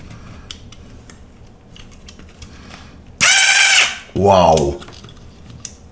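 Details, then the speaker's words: Old Einhell BT-SD 4.8F electric screwdriver, motor just oiled: two short bursts of harsh rasping buzz as the motor spins up and stops; noisy gear train, owner suspects two metal parts are making the noise. "I believe those metal stuff, those two metal, they are making the noise."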